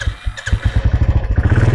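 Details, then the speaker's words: Royal Enfield single-cylinder motorcycle after a starting problem traced to the ammeter, disturbed during a bulb change: it starts and settles into an even, deep thump of about nine beats a second, a steady, healthy idle. "तो ये स्टार्ट भी हुआ है।"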